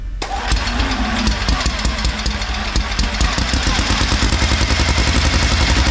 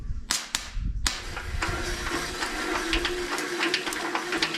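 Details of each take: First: Long-stored mini radial engine, first run after fuel poured in: coughs and fires in uneven pops, then catches into a rough, lumpy run that steadies a little, blowing grain debris out of the engine. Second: Mini radial engine cranked by a starter: sharp irregular snapping clicks of plug sparks over the starter whir as the engine turns; ignition is working.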